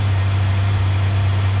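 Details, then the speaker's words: 1997 Honda Goldwing GL1500SE carbureted motorcycle, freshly tuned carburetors and new timing belt, cold start on choke: smooth, even low hum at a slow steady idle with no misses; normal warm-up idle before backing off choke. "these are carbureted bike take a little bit of choke to start I like to I usually like to let it warm up just a little bit before backing the choke off it idles quite slow"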